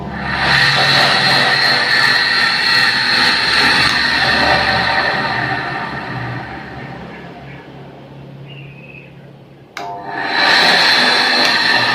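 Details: Coconut grater motor that had only hummed and vibrated without turning, after its shaft was lubricated: a steady, high, even whine that coasts down and picks back up. It now spins freely, repaired.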